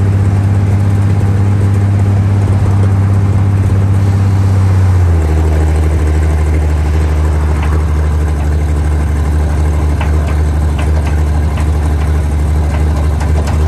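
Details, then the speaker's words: 1947/1949 International 1-ton flatbed truck, sat about 50–53 years, revived, clutch dumped in second gear: deep steady rumble dropping in pitch as load comes on around five seconds, then pulling evenly; healthy. "It seems first gear we didn't have enough ugga-duggas in first gear, so we dumped her down into second once we had her revved up, and dumped that clutch once we got it working."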